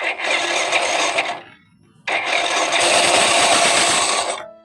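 Harsh, gritty rasp from a scooter's belt drive, broken by a short pause; a loose drive pulley part is grinding.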